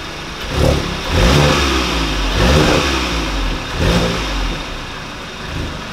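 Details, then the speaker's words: 2017 VW MK7 GTI after tightening a loose exhaust bracket under the resonator, which caused a startup rattle: clean revs rising and falling, no rattle or buzz; repair confirmed. "well guys there you have it it was a loose bracket that i've been putting off fixing for a very long time"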